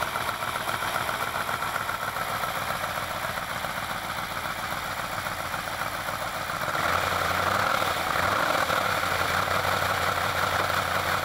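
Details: Alfa Romeo Montreal V8, first run after head gasket repair, valve stem seals, oil leak fixes and Spica pump drive pulley bearing replacement; well-worn engine: steady even idle, smooth patter, slightly louder partway, no knocks or misses. Normal idle.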